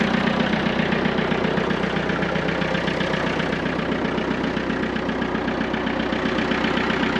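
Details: Massey Ferguson MF-255 diesel tractor that had not been starting, now running after troubleshooting; battery read 12.72 V; steady diesel clatter at idle, even beat near four pulses a second, no misses or knocks; normal idle.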